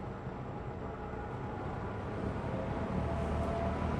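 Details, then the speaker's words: Lakewood P25 metal blade window fan, nearly new (bought around 2009–2010), first time in service, running on low/medium: steady airy rush with faint even chopping of metal blades, no rattle or scrape; normal operation. "I just love how you can hear that chopping sound. Those metal blades."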